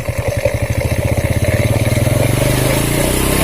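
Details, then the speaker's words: Honda Supra Fit motorcycle with valve cover open, after oil flow to the head is restored: steady, even idle with light regular clatter as oil splashes over the valve gear; sound now smooth, no longer harsh; normal valve train. "Suaranya sudah halus, tidak kasar lagi."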